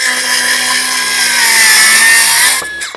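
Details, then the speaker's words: New Milwaukee M12 Fuel 5-inch cordless circular saw cutting treated 2x6: high whine sags slightly in pitch as the blade bites, then spins down; motor bogging a little under load. "so let's make a couple slices and [Music] dices you can hear that bogging on just a little [Music]"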